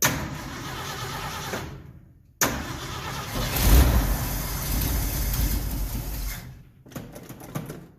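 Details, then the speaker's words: 1969 Ford F100 first start after carburetor rebuild, float bowl initially empty; long cranking bursts, then stumbles and catches roughly; owner suspects added check ball, possibly needle and seat; flooding, later traced to faulty power valve. "Well, something doesn't sound right. It's got to be that ball."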